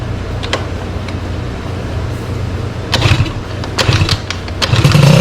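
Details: Sym DD50 scooter with a Polini Corsa Mini two-stroke build, after fixing small faults and rejetting: starter clicks, a few sputters, then it catches and buzzes up to a steady idle; normal start.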